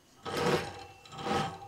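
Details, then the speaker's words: Sparta Maxx 70 converted e-bike, 48V front hub motor: two short, rough rasping buzzes as the motor judders starting from standstill; suspected phase-control fault in the controller or wiring, not the motor itself. "klein beetje verzetten en als die hem dan pakt dan hapert ie ook, je hoort hem trillen"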